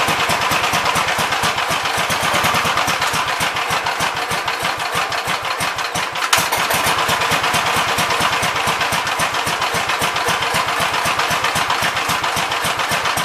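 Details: 1971 Gravely model C single-cylinder, good oil pressure: barks fast and hard, held flat out without settling; engine overspeeding, governor linkage needs adjusting to close the carburetor butterfly further; owner wonders if fan is touching.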